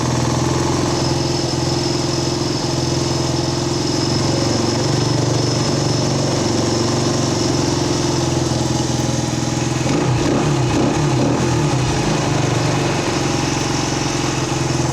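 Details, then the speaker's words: 1979 Honda XL125S single-cylinder after a valve lash adjustment, idle checked with a tach (book says about 1,400 rpm): a steady, slightly fast idle. It is too high and is wanted at about 1,200. "I to grab my tack and check that idle speed it's supposed to be about 1,400 or so that's what the book says anyway [Music] that's actually low supposed to be a little more than"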